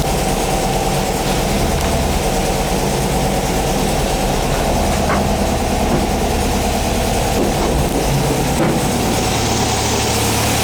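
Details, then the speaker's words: 1959 VW single cab pickup, air-cooled flat-four, after getting it running during restoration, warming up: even, steady low chuff at idle, no misses or knocks; sounds good, normal idle. "Sounds good. Let it warm up for a minute."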